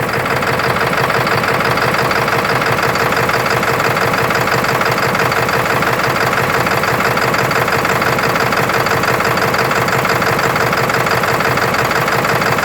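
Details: 1996 Ford F350 7.3L diesel, heard with hood open: heavy clatter at idle with a steady knock near three per second and slightly uneven beat; rough idle, cause unclear.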